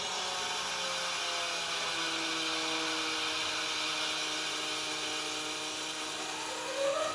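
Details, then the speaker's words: 2022 Ford F350 dually after fuel filter change, engine off: thin electric buzz and steady whine stepping higher, the fuel pump pushing air out of the filters while priming; engine then fired right up. "That is the fuel pump pumping air out of the filters. So we got to keep doing that till it's primed. It should change noises eventually."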